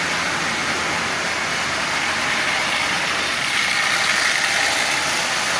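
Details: Marx 898 toy locomotive, old and abused, lubed and tuned, pulling 23 tin litho cars: gritty high-pitched gear whir from a noisy worn intermediate gear; may quiet down with running.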